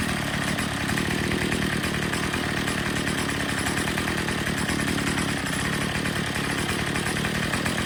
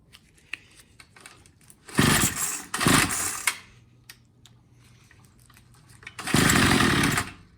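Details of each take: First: Troy-Bilt TB22 EC weed eater at full throttle during a tune-up (air filter cleaned, low-speed screw already set) while the high-speed mixture screw is turned for maximum rpm: a steady, high-pitched scream with no surging. Running great. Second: Troy-Bilt TB22 EC string trimmer during carburetor tune-up, low-speed screw turned in clockwise: catches in short rough bursts then cuts out; lean low-speed mixture nearly stalls it, richen until it picks up for idle setting.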